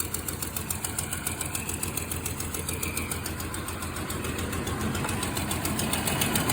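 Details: 1991 Toyota Land Cruiser 3FE after new fuel pressure regulator and fuel damper, complaints rough idle, no power, poor mileage: uneven lumpy pulse three to four beats a second, stumbling; replacement didn't help, cause unknown. Rough idle.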